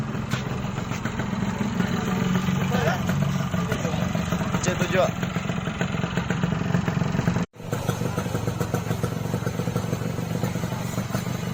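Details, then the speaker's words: Yamaha RX King two-stroke after repair for heavy smoke (engine oil entering; crankshaft seal replaced, NPP piston fitted): steady even idle burble, no misses, knocks or rattles; no longer smoking, sounds smooth. "Dan sekarang alhamdulillah setelah diganti sealnya ini ya, sealnya ini bagian askrop udah nggak lagi berasap ya bro. Jadi walaupun 2 tak ya tetap nggak berasap bro."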